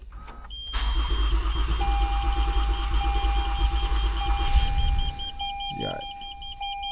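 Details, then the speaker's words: Toyota Avalon with hard starting: starter churns evenly about four seconds with a chime sounding, then quits without firing; long cranking, owner believes water is in the fuel rail, injectors and spark plugs. "Pero ano lang ito malamang long cranking ito tapos palyado kasi may mga tubig pa doun sa sa common rail or sa linya ng sa tubo ngor spark plug. So pero aandar to kaso ngang long cranking siya."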